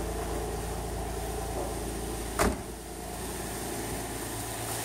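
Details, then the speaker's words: 2003 Nissan Altima VQ35DE V6 idling after a timing chain tensioner repair, steady and even with no ticks or misses and one brief nearby clunk; idle settled down normally and the engine runs smoothly. "listen to that just the way God intended isn't that beautiful down a little bit but that's normal not even so much as a [ __ ] tick or a hesitation"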